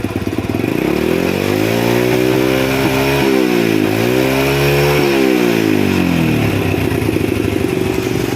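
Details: Honda Astrea Prima carburetted motorcycle with black, quickly failing spark plug and high fuel use; revved up and down twice with ragged uneven beat, rich running misfire, heavy carbon deposits in the combustion chamber, carburetor blamed.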